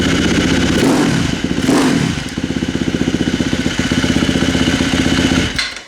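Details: 2016 KTM 350 XC-F after valve clearance adjustment, with new battery replacing dead six-year-old lithium one; single catches quickly, couple of throttle blips, settles to steady quick firing with no stumbling; normal start and idle.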